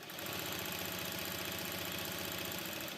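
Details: Jack heavy-fabric sewing machine with enlarged hook, stitch length reduced from 7 mm: fast, even mechanical chatter at steady speed, no reverse-lever knock or rattle; normal running after stitch length matched to needle plate slots.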